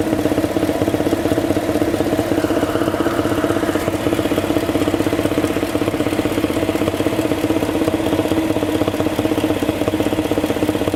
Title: '06 LM7 Vortec 5.3 Intake thumping noise, steady even when revving